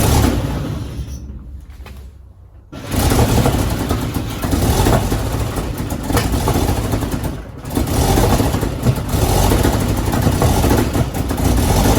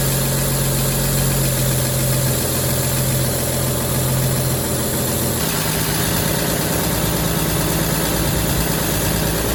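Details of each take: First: 1953 Chevy truck sitting 40 years, choke off: the starter cranks three or four turns a second in long bursts and never catches, because the mechanical fuel pump that pumped earlier has stopped pumping; fuel starvation. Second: 1953 Chevy shop truck sitting 40 years, old gas tank removed, foot pedal start: even, steady idle with one small settle in speed, no misses or knocks; normal idle, later reading 170 after running a while.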